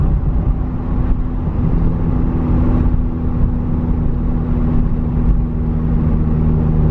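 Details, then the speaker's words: Nissan S13 driving after replacing a dead differential with a V-LSD: steady low drone with faint whir over road rumble, loud drivetrain noise in lower gears that vanishes in fifth gear; source unconfirmed, owner finds it strange. "Je trouve ça quand même bizarre. Et donc quand je le mets en cinquième, ouf, plus de bruit."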